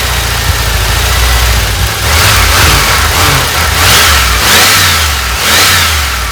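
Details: 1988 Dodge Ram W150 4x4 V8 with TBI injection, first run after long storage with fuel gauge below empty. Idles, then swells smoothly through several throttle blips and settles back each time; healthy running, injector squirting, fuel pump working.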